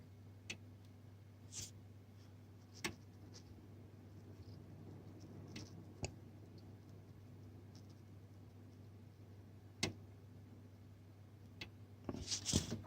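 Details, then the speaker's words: Home server in Fractal Node 304 case, AMD 200GE, EVGA 550W PSU, three 2TB 5900rpm Seagate drives, fan controller on middle setting, in a closet: initial fan burst quiets to a low hum with hard drive seek ticks; normal idle. "Let's power it on. That's the initial fan. Now you hear it quiets down. And now basically you can't hear it anymore."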